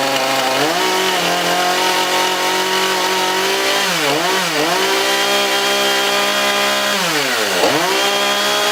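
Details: Husqvarna 440 X-Torq chainsaw: high, steady two-stroke scream at full revs, dipping and recovering cleanly twice as throttle is released while checking oil throw off the bar; runs healthy.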